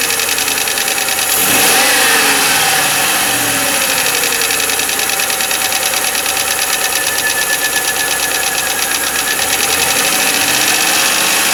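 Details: 1995 Lincoln Mark VIII LSC, Ford 4.6 DOHC V8 at steady idle: fast, light tapping about three times a second; owner unsure whether it is lash adjuster tapping or a piston slap/rod knock.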